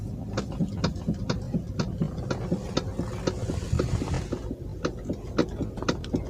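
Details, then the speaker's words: Toyota Alphard stationary, steering turned left and right: sharp clicks and clunks about twice a second; also clunks over rough roads, a common Alphard steering fault. "terdengar suara klerk ya udah kasih seperti ini sering sekali ditemukan pada kendaraan Alphard"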